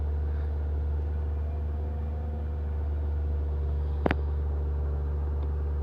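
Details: A Ford Fiesta 1.4 MK6 with an EAC fault holds a steady fast idle drone with no dip, plus a single click; idle should be under 1000 rpm. The cause is unknown, and a throttle position sensor is suspected.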